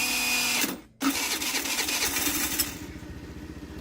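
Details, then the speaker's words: Used TaoTao 50cc scooter on electric start: starter whirrs, drops out, then grinds unevenly. Owner suspects the Bendix starter drive is slipping and needs replacing; kickstart works. Intermittent starter slipping noise. "So I'll be honest, judging by that sound that it just made, I do think the Bendix needs to be replaced, because it sounds like it's slipping every so often in there."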